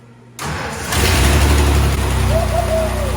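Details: Ford 4.9L shop truck, after a broken timing gear was replaced and the distributor re-timed. A brief starter crank, then it catches within about half a second and settles into a steady, even idle: a normal start.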